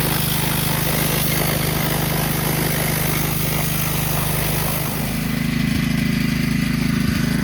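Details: 2009 Kawasaki KLX140 dirt bike, sat about two years, jump-started with no battery fitted; just fired right up: steady, even beat with no misses, knocks or rattles; sounds like it runs pretty good, normal running.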